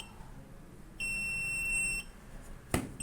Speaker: Once uploaded, as you can see, buzzer turns on for 1 second and off for 1 second.